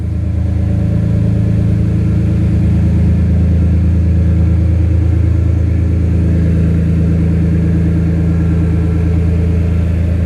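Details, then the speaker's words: BMW M3 S54 engine swap at first start, oil topped off, booster pack on, straight header pipe making it loud: deep, steady idle with even firing pulses and no misses or knocks; normal idle. "That's just a straight header pipe. That's why it sounds loud like it is."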